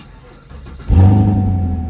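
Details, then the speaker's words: 2017 Camaro SS LT1 V8, hot restart at operating temperature after ground wire upgrade for heat-soak slow crank: catches almost instantly, settles into smooth steady idle; no slow crank. "Y'all see how quick that car cut? That actually car cut pretty quick, y'all. That car cut very quick."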